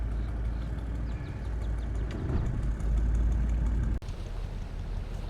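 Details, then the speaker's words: Mercury 150 outboard on a Wellcraft Sportsman 180, restarted after it developed a miss and died following a 39 mph run: low, uneven, slightly lumpy idle at about three pulses a second. Likely an intermittent misfire. "At least it's idling. I thought for sure once it died, it wouldn't start again."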